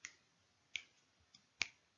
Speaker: just like that and wherever we turn it on it will always be clicking and it will click randomly and the reason why it's clicking randomly is because we've always got some background radiation there's always something that is radioactive around